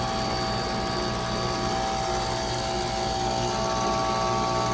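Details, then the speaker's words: 2024 Bryant closet heat pump with a new Emerson Copeland scroll compressor replacing a dead, short-cycling LG: steady, even compressor roar with constant hum and fan rush, no cycling off or knocking; running normally, no longer short cycling. "working really good. It's not short cycling anymore. Pressure sounds nice. Listen to that Copland Scroll roar."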